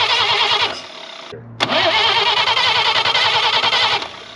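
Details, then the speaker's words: Chevrolet Blue Flame stovebolt six, engine on a pallet and out of the truck, points ignition checked by test light, no carburetor fitted yet: even cranking chug ~3.5 turns a second, no firing; spark present, no fuel. "we got spark so next we need fuel"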